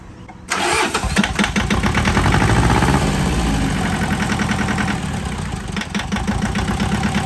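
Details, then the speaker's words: John Deere 650 two-cylinder diesel tractor after head gasket replacement, coolant refilled: quick short crank, fires and settles into steady even two-cylinder putter with no knocks; healthy start and idle, owner pleased. "Yes, I love it. Sounds really good."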